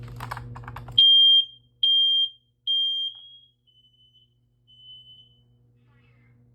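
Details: Bedroom home smoke detector on test: three sharp high-pitched beeps about a second apart, then quieter trailing chirps in a silent room. The detector sounds properly.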